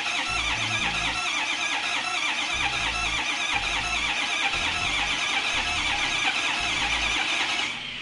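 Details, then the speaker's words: 2005 Ford F-250, 6.0L Power Stroke diesel, no-start complaint: starter cranks steadily in a rhythmic churn for about eight seconds, engine never catches; no-start traced to a failed high-pressure oil pump. "And as we can see, the truck will not start."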